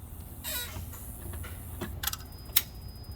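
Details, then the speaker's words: 2011 Honda Accord 2.4 i-VTEC, 5-speed, complaint of a click on start: two sharp single clicks with no cranking while starter ground voltage drop tests fine (about 4-5 mV); failed starter motor. "all right it's clicking we have five millivolts with the max there"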